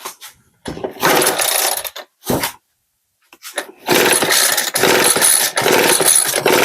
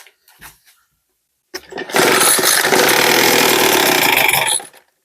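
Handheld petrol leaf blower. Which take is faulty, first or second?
first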